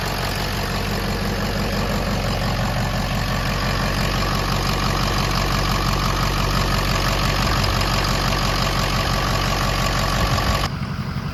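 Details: 6.0 Powerstroke diesel with rebuilt engine, idling: smooth, even diesel clatter at a settled idle with no misses, knocks or hunting; idling healthily.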